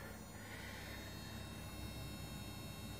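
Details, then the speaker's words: Enecsys 360-72 solar micro-inverter, second unit, overcast and taking about 30 W DC with erratic voltage after having stuck and stopped producing: faint steady high-pitched whine with wavering tones over a quiet hum; singing noise, cause unclear. "okay wow so this is the second axis 360 72 it doesn't appear to be very very happy"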